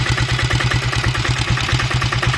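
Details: Royal Enfield diesel Bullet (Lombardini/Greaves engine) after piston slap rebuild, new injector cup and timing set: even, steady diesel knock at slow idle, clean evenly spaced firing with no slap or miss; healthy idle.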